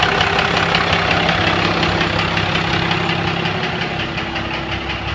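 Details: 1997 Dodge Cummins diesel idling: hard, steady knock about three per second above the clatter, started last week, more evident walking around the truck; some fuel in the oil, no metal shavings, lift pump seems good; owner suspects injector knock.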